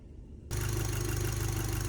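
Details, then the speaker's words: VW Scirocco R after coil packs refitted, idling around 5 minutes; steady, even idle hum with no stumbles, misfire fixed, though a broken boost pipe sensor may still cause rough running while driving. "Okay, I don't know if you can hear it on the camera, but she's running completely calm, super smooth, no misfires."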